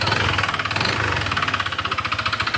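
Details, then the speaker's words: Honda PCX160 scooter, nearly five years old, 45,000 km: a rapid metallic rattle like metal being planed that rises with throttle. The rattle is not from the transmission, pulley or rollers; it points to a worn crankshaft and connecting rod needing engine overhaul. "Parang may nagpapalang bakal. Okay patayin na natin. Kung mapapansin niyo yung ano yung pagpihit ko ng ano acceleration at sa tunog sumasabay."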